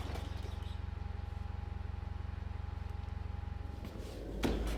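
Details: Murray LT1000 wide-body riding mower (2000), deck removed and custom-lowered, first jump-started run on starting fluid with the new exhaust: a fast, even beat holding high revs instead of a proper idle.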